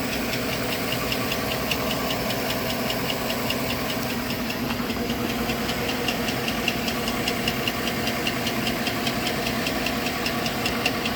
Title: Engine knock.